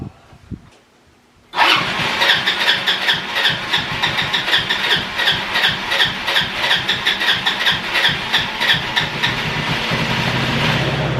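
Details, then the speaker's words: Roadside-found ATV on its original tank cranks, catches and runs ragged with stumbling, uneven pulses that nearly die. The start button overheats with long cranking and the engine doesn't pull enough fuel from the tank; likely fuel starvation. "Sort of runs. See, I think this button is funky because if I crank it for too long, then the button overheats and then it doesn't do anything. Doesn't quite have enough to pull the fuel out of this tank."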